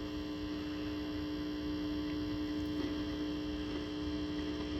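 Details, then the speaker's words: Original cocktail table, probably an Asteroids Deluxe, first power-up on the bench: steady low single-pitch buzz through the speaker, suspected coming off the board; ground loop hum from bad ground. "Wow, that buzz is nasty. That's got to be coming off the board here. That's got to be coming off this."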